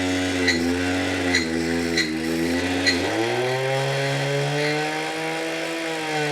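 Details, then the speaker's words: Lyric Graffiti X e-bike hub motor after 13–18 miles, intermittent 24h error, at full throttle: loud buzzing that drops and climbs with sharp ticks, won't reach speed and stops instantly; owner suspects something locked up inside motor. "that's Full Throttle right there it's not going any faster than that and look it instantly stops like it has a regen like activated or the brakes are like squeezed but they're not so there's definitely I think something locked up in this motor"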